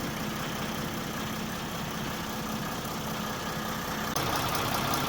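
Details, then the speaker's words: Mercedes OM642 diesel in a Jeep WK Grand Cherokee CRD after replacing a leaking timing chain tensioner that collapsed at shutdown, settled to lowest idle: steady, even idle with no rattle or chain slap. "okay so it's ran up until uh it's dropped down to its lowest idle um everything sounds great"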